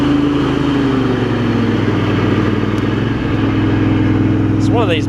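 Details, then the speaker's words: Craftsman garden tractor with Kohler CV20 twin, after ignition switch replacement, carburetor clean and new primary deck belt: even low putter settling into a steady idle without hunting or missing; idles down really well, normal idle. "it ain't enough to try and mix or anything cuz it's still track St great it idles down really well too"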